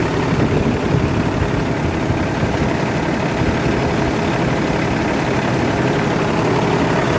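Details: Kenworth diesel truck unused for a long time, after starting-fluid spray, fuel filter/water separator suspected packed and leaking: steady even low rumble and constant clatter, no misses or surging; normal idle after starting.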